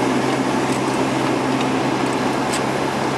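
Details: 1994 Jeep Grand Cherokee Limited with 103k original miles: AC blower gives a steady airy rush over a constant low hum, no rattles or squeals. Working fine, just loud.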